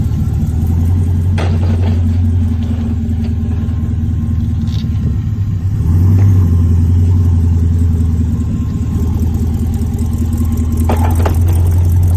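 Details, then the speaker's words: Supercharged LT4 swap in an El Camino on its first test drive around the block: deep, steady drone with road rumble, revs rising slightly and settling. Shifting and clutch fine, no driveshaft vibration. Normal running while driving. "it was shifting through all the gears clutch was working fine there was no weird vibrations with the drive shaft or you know anything and everything was good"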